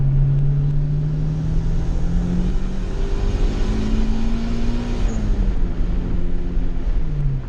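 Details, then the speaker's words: Customer EG hatchback with a GSR engine swap and an eBay turbo kit, retuned; the motor still needs a rebuild. Full-throttle hit in second gear under boost pulls strong, the note climbing smoothly with no misfire or stumble. Quick, running well. "give it a hit in second gear here and show you how the power is now she's quick"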